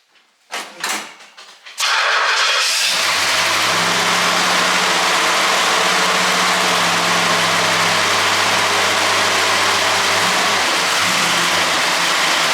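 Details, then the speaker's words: 1968 Pontiac GTO after seized fan clutch replacement; engine catches after short crank and settles into steady, even run with no belt squeal, alternator belt previously screamed near 2500 rpm; fan clutch now working, normal running. "oh yeah that's 100 % better"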